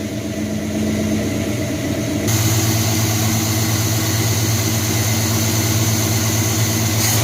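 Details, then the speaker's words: 1978 Chevy C10 350 V8 just restarted after new Edelbrock intake, water pump, belts, thermostat, hoses and valve covers: fires then settles into a steady even beat about three pulses a second, no stumbles; normal idle, much smoother than before. "Man, that thing's purring like a kitten now. So much better than it used to be."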